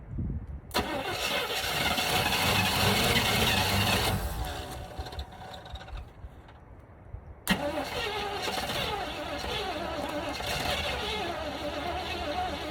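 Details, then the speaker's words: 1977 Chevy Camaro with 305 V8, parked almost 20 years, carburetor bowl filled by hand and ground reconnected: cranks, catches after a stumble, then settles into a steady even idle with no knocks; normal idle. "keys back on grounds did reconnected as soon as she starts dang a runner man"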